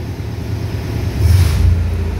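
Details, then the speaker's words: 1931 Lincoln K V8, already warm, on hand high-idle control linked to throttle, about 1800 rpm: smooth deep even rumble at raised speed with slight lift, wind noise; normal high idle. "And then you have a high idle. You can hear it's directly linked to the throttle,"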